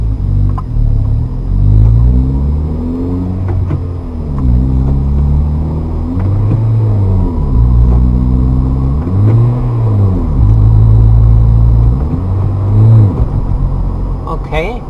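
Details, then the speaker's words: Manual car upshifting with gas applied too early at the clutch bite point. Engine revs swell and sag repeatedly without the car pulling: the clutch is slipping and wearing. "okay you can hear the car kind of rev up when the clutch is not engaged that's not what you want to do because that time you're wearing out the clutch so don't do that"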